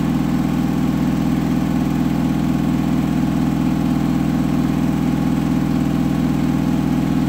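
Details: Hotpoint washing machine final spin ramping to 1400rpm after a rolling bath sheet fooled the balancing and was then thrown to one side: heavy steady drone with a regular thump about twice a second, unbalanced and noisy.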